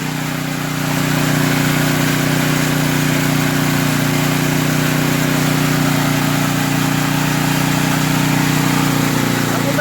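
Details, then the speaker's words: Portable generator that had been surging, after carburetor, fuel line and valve work and turning the idle speed down: an even, steady hum at constant speed for ten seconds with no rising and falling, idling smoothly. "all right guys so I just turned the idle speed down and this is what I got"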